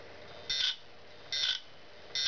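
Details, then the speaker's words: Western Digital 80 GB IDE hard drive, powered on the bench: spins up and down with three evenly spaced sharp buzzy clicks about every 0.8 s over faint spindle hum; repeated clicking, click of death. "as you can see it's spinning up and down and it's clicking the same oh crap"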